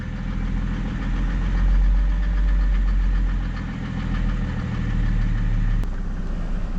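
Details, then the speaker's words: W210 Mercedes E300 turbo diesel, towed in with a crank-no-start: diesel clatter at a low idle that sags and surges as the throttle is eased, wanting to stall. There are no trouble codes; glow plugs are suspected, unconfirmed. "once really wants to die doesn't it [Music] kind of I'm holding the throttle right now I don't want to let it let it completely off"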